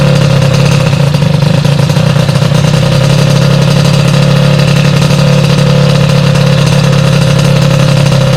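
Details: Sym DD50 scooter with a customer-installed Polini Corsa Mini two-stroke build, after a basic check fixed small faults and jetting set: steady, even buzz with no misses or knocks; normal idle and revving.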